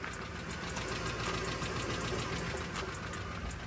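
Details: Cheap Copart truck at idle, heard under the hood: steady idle with fast, fairly even light tick, about three and a half per second, over engine hum; owner suspects cam phasers, source unknown.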